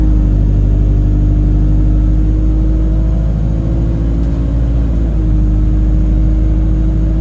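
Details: Chaserider 497 (YX67 UYA), Alexander Dennis Enviro 200 E20D diesel bus, felt sluggish: a steady, low horn-like drone at constant pitch over the engine rumble, following an earlier whistle. Owner suspects the gearbox, as it was much louder towards the front.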